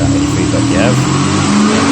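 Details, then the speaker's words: VZ Commodore 6.0L V8 after repair of rough running, P0300 random misfire and one bank running lean, fuel trims now normal: strong, steady note rising and holding cleanly with no stumble or miss; normal revving. "here is a video of it running out oil and a few revs just to show it's running perfectly now"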